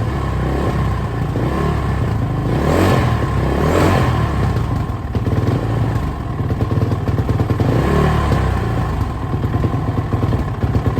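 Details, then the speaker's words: Suzuki RMZ450 single-cylinder after major engine and head rebuild, first run: revs surge and sag every few seconds with loose clatter, head glowing red hot quickly; erratic hunting idle, owner suspects lean condition. "it sounds like it's running really crap though as you probably said it's really like the RPMs are jumping all over the place it's real erratic um it sounds to me like a lean condition"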